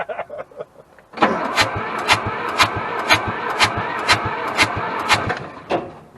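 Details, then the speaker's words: Hamm DV3K roller/packer bought as inoperable at auction, being cranked while trying to get it off the trailer: the starter turns it in steady puffs about twice a second and it pumps oil, but it never fires. "obviously she not firing"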